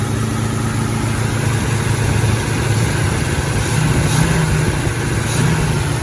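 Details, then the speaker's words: 1927 Stutz AA, 95 years old, first run in 40–50 years after distributor work, carburetor gravity-fed: deep, steady low rumble at even idle with no knocks or misses. "Well, there we have it. It runs. 95-year-old car. This thing hasn't ran in somewhere between 40 and 50 years."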